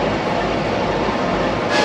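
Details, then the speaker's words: Fan driven by four freshly tightened belts off a hydraulic motor (a fifth belt runs the alternator), started after reassembly: even rushing air roar with no squeal or chirp, so the belts are tight and the fan belt drive is normal. "Now what he's going to do is start it up, run the fan, and hopefully the belts are tightened correctly. Otherwise it'll squeal."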